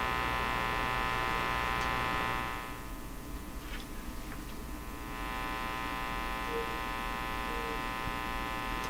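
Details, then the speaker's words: National HRO Sixty communications receiver gives a steady low hum with stacked buzzing tones over faint hiss even with the antenna on; no stations come through, and turning it up gives only noise; mains hum masking reception. "Still very hummy. We're not going to hear any stations here. Unless we turn it way up, I think, and then it's just all noise."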